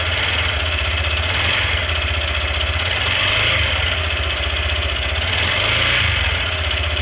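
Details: Yamaha Factor 150 engine at a steady idle, with a fast, evenly paced, rattly tapping over the exhaust beat; internal engine noise of unknown cause.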